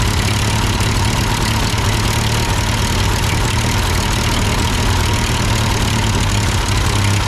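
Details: Ford 8N tractor at idle with no load and the engine hot, just after a carburetor adjustment. It had sputtered uphill, blamed on a cheap Chinese carb; an old Marvel-Schebler ran fine. Steady, unbroken low rumble, no surging or dying: normal idle.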